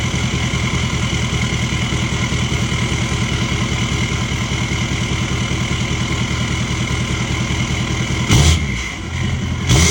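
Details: L5P Duramax diesel idling: steady low chug, slightly uneven beat to beat; rough running, owner worries about a bad injector or misfiring cylinder; coolant leak already fixed.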